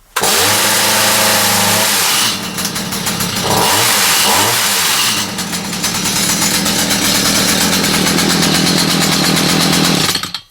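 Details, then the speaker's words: Stihl saw after kill switch repair and carb sorted, started on high-speed choke: catches, drops back, then revs to a steady, even howl with no stumbling; some exhaust smoke from earlier choke-stopping; runs normally. "let's see if it starts on high speed choke"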